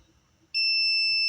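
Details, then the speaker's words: Polytron U-Slim TV that is dead with a squealing noise, transistor removed and tested off-board with a meter: continuous high-pitched continuity beep across the probed leg pairs, showing the transistor is shorted and blown. "oke juga bunyi berarti ini positif jebol"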